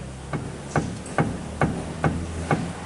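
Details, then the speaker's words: Hyundai i30 steering rack struck by hand; dull knocks roughly every half second, loose play clunking back and forth, felt mid-car over small road ripples: steering rack play knock, electric column also has play. "Batendo bastante. O que vai acarretar, pessoal? O que vai acarretar aqui esse barulho?"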